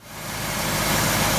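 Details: 1949 Packard Super Eight straight-eight after replacing a rotor that hit the distributor cap with new Pertronix: smooth, even idle settling quickly with no ticking, slapping or misfire; engine sounds healthy.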